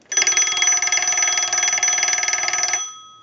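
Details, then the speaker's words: Western Electric 202 rotary desk telephone's separate bell box sent a ring cycle from an analyzer: clear, steady double-gong ringing at a fast even clatter, then a clean ring-out; the bell strikes properly. "we're gonna use the analyzer and we're gonna send a ring cycle so we'll go ahead and do that"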